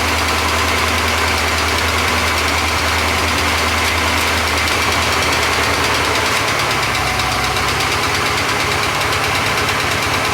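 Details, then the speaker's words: Porsche 928 V8 idling just after start-up with light, uneven ticking about three per second over the engine, after oil pump work; owner wonders if from oil drained during work, smoother later. Ticking at start-up. "and it was quite tapity this time around and I didn't know whether that's because I've drained a lot of oil out of it in the course of what I've just been doing"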